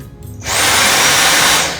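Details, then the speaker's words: Dyson V6 vacuum after fitting new filter: motor spins up in half a second to a clean steady high whine, no squeak or whistle; runs normally. "That sounds like it's going to do a great job."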